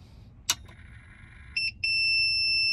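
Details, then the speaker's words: Renogy 2000 W inverter on a Renogy 170Ah LiFePO4 battery, switched on after sitting unused with light DC loads: a sharp click, then a steady high tone turning into a continuous shrill beep as the voltage drops below 10 V, to about 9.3-9.5 V. Under-voltage alarm. "u see the voltage has gone under 10 volts i'm getting an under voltage warning the puck lights have dimmed in the car"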